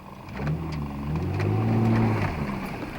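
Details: 1995 Nissan Maxima 3.0, still cold, after replacing torn intake boot and holed spark plug wires (previously misfired under load, ran rough): revs climb smoothly and settle back, even pitch, no stumble or knock; sounds healthy.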